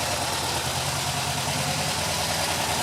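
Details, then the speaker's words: Rebuilt stock 2.0 L Porsche 914 engine after setting timing, synching carbs and adjusting idle: steady, even idle with a smooth low beat and airy hiss on top, no misses or knocks; idling fine, may still need jet adjustment. "that's pretty much it it sounds like it's running fairly decent of course i won't know until i get it on the road and it probably needs some jet adjustment"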